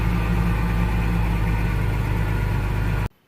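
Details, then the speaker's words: 1987 Jeep Comanche SporTruck, AMC 4.0L, 115,000 miles when bought. It is first started after a fuel pump ground relocation, with the pump primed first. A deep, steady low rumble with even firing, no knocks or misses, then shut off; runs properly. "Jeez, that sounds violent. Alright, that sounds like a running engine."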